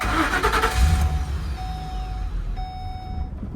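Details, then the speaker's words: 2011 Ford E150 4.6L, intermittent stall, new fuel pump, relays and fuel pump driver module; shop suspects fuse box: engine fires, runs roughly about a second, dies leaving dash chime. Starts then stalls. "And it dies. So, tell me what's wrong."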